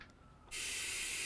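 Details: Altec Lansing speaker amplifier board: after a brief quiet moment, a sudden loud steady hiss drowns out the music and volume buttons don't work; constant static persists after a blown capacitor was found, further motherboard fault suspected.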